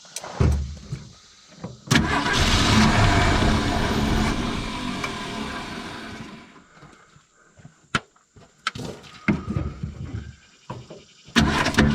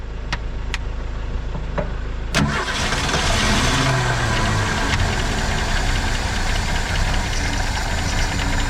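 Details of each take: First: 1970.5 Ford Falcon after sitting 28 years: cranks, catches and roars in bursts, sags and stumbles until fuel hand-fed again; not drawing from the tank, owner suspects dead fuel pump. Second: 1970.5 Ford Falcon six, junkyard car sitting 28 years, jumper wire to coil, 2-cycle gas: a few sharp clicks, starter catches, fires into steady slightly rough idle; runs again, fuel leak noticed afterward.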